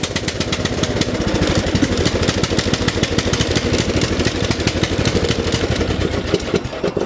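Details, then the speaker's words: Lawn tractor, single-cylinder Briggs & Stratton engine, choke stays on when throttled back: lumpy uneven popping that never revs up to proper speed, running rich. Stuck choke, running rich. "So you can see there, the choke's always on, it just will not rev up to where it should."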